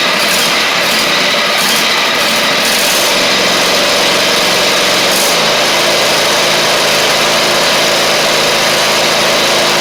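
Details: Husqvarna GTH2654 (Craftsman GT5000 type) lawn tractor twin, first run after gas tank setup, previously running on one cylinder: fast, steady buzz on both cylinders, no stumbling or missed beats; sounds healthy, exhaust smoking off built-up gunk.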